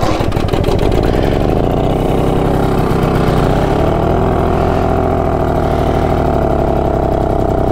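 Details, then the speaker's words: BSA D7 Bantam two-stroke restoration project with a new spark plug, on its first ride: uneven crackling note that surges and sags; rough running, and owner asks if it's fuel starvation, unconfirmed. "Do you reckon that's fuel starvation?"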